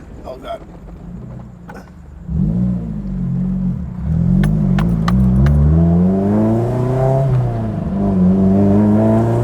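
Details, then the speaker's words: Honda S2000 AP1 with freshly swapped F20C engine, first drive in almost a year, no leaks: smooth engine note climbing and settling through revs, no knocking, misfire or rattle; sounds healthy. "She's moving under her own power. It sounds awesome. Like, it sounds healthy."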